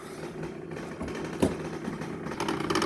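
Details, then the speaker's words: 2021 Samsung fridge, ice maker unused and empty: steady mechanical whirring with rapid rattling clicks near the end, still noisy when switched off; ice maker mechanism grinding from a trapped foreign object. "uh you move it and it looks like there's a mechanism inside there that's making the noise"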